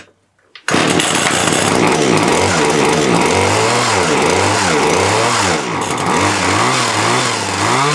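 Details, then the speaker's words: Titan hedge trimmer two-stroke, glued back together, fuel not neat petrol, warming up: buzzy snarl catches sharply then rises and falls about four times a second, improving the longer it runs; normal running. "seems to be getting better the longer it RS seems to be getting better the longer it RS which is what you would expect"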